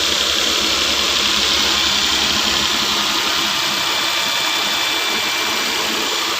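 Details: 2013 Nissan Pathfinder, earlier no ignition, no crank, no start with the security light blinking, BCM wiring issue; now started, engine settles into a steady even idle, no misses, knocks or hunting, over hissy background.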